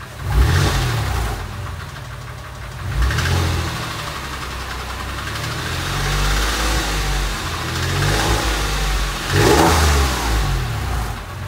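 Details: Porsche 996 3.4 flat-six at warm idle, recorded in garage: deep steady rumble with light intermittent tick, absent cold, fading above about 2500 rpm, louder under load; oil pressure good; owner suspects exhaust manifold, tappet or piston slap.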